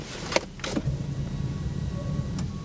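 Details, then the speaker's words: EcoBoost Mustang, hail-damaged nearly new car on jump pack: couple of clicks and faint electrical hum as it wakes, but no starter spin even in neutral; car doesn't register brake pedal; no-crank. "I hear everything but the starter. Fuel pressure. No. She refuses to start."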